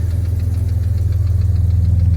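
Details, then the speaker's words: 1991 BMW E31 850i V12 idling cold, with a fast light top-end tick over the smooth hum; owner suspects the lifters or possibly low oil, unconfirmed. "But you can probably also hear it's got some top end tick. These are not unknown to have some issues with the lifters."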